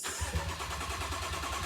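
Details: Crash-damaged BMW M135i F20, first start attempt after sitting 7 months: steady rapid starter chugging for about two seconds with no catch. Cranks but won't start; the issue persisted and fuel sensors were later replaced, cause not confirmed.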